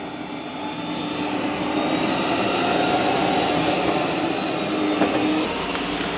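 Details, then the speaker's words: ECOVACS DEEBOT X2 Omni robot vacuum auto-lifting its mop pads and increasing suction on carpet; steady high airy whoosh swelling as the fan ramps up; normal suction boost. "All right, now it auto lifted the mop pads and increases the suction."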